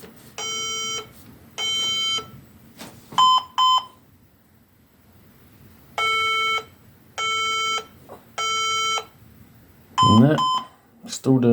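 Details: HP EliteDesk 800 G2 SFF desktop with a suspected power supply fault. After fitting a secondhand CPU for dead integrated graphics, new thermal paste and a new CMOS battery, it gives two long, two short, then three long beeps and keeps restarting without booting.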